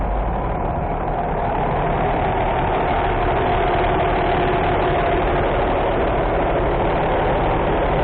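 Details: Mercedes-Benz diesel bus that would not start due to engine-compartment door sensor fault: steady even idle with a smooth low rumble and no knocks or misses; running normally.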